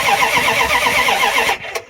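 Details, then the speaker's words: 1994 Dodge Ram 1500 318 (5.2L) V8, sat 4 years with rodent damage, cold: steady fast cranking, no firing, then a click; crank no start, no fuel delivery. "Does it sound like it's firing? No. Hear any? No. And you got this unplugged, so it probably isn't."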